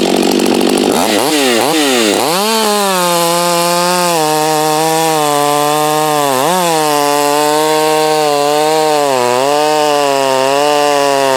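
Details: Heat-soaked Husqvarna 562 chainsaw in test cuts, compared with a salvaged Husqvarna 51 and a 254. Clean throttle blips, then a strong, steady high scream sags only slightly in the cut: a healthy saw running well.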